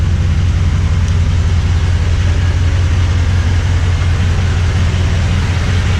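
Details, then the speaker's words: Toyota Tundra with newly installed TRD dual exhaust, recorded from behind the truck at the tailpipes: deep, steady V8 rumble at idle with an even beat, no knocks or misses; normal healthy idle. "so I'm gonna set you guys down from the back first start it up and let you hear what it sounds like off the back"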